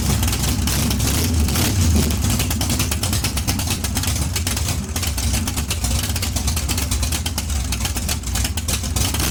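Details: Big-block Chevy 454 in barn-find T-bucket hot rod, both exhaust tubes removed: loud lumpy idle on open headers with fast crisp exhaust pulses and deep rumble, steady and even; healthy V8, normal idle.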